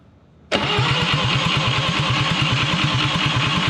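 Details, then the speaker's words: Atomic 4 ex-sailboat engine, points cleaned, spark at coil but none out of distributor cap, distributor loose: steady cranking about three beats a second, never catches; owner suspects timing far off, unconfirmed. "I noticed I could turn the distributor by hand, so it could be it's really far off timing. So I'm just going to experiment, crank it and turn it. Still nothing."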